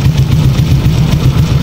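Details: Honda Wave 100 small motorcycle engine at steady, even low putter idle with no rattle or knock, after fixing the crying noise and leak by replacing parts with genuine ones.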